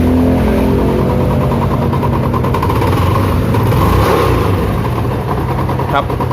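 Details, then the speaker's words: Spark 135i before an engine rebuild: engine revving with a rough, heavy knock under the note that follows the revs, like the crankshaft; worn crankshaft big-end bearing, fixed by replacing the connecting rod and crank bearings. "[เพลง][เพลง]อย่างนี้ได้จะเป็นเหมือนเสียงข้อเหวี่ยงนะครับ"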